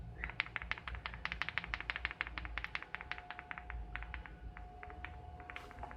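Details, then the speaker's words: Desoldered electrolytic capacitor from Topward 6306D lab power supply being repaired, shaken by hand: quick irregular ticking rattles, about three per second; loose internal part, unlike a normal capacitor. "I don't think it's supposed to make that sound. I guess I could try another capacitor."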